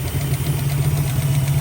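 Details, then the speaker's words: 1965 Mustang 289 V8 idling after revival: rapid light top-end ticking in time with engine speed over steady idle rumble; valve train suspected, rockers likely need adjusting, rod knock feared but not indicated. "And listening to it, I really do think it is a valve train. Everything looks to be Good. So, after doing a little bit of research, I think the valves definitely uh definitely need a little bit of adjusting."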